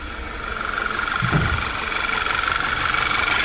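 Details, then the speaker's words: 2011 VW Tiguan four-cylinder at idle, misfires on cylinders 1 and 3 persisting after new coils and spark plugs, fuel good; uneven idle stumbling about four times a second; cylinder 1 and 3 coil connector locking tabs broken. "ped at three now we have only one must fire at only bank one sorry bank one i mean cylinder number one two three four are good but we still have a flash in there"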